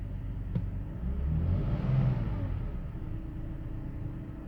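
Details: 2005 BMW 530i after the idle control valve was replaced to cure a rough idle: the engine blips up briefly, then settles into a steady, even low idle with no stumbling or misses.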